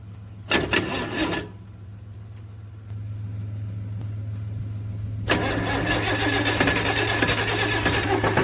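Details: Hard start on a DT360 diesel: a short crank fails to catch, then after a pause a longer crank until the engine finally fires and runs; slow to start.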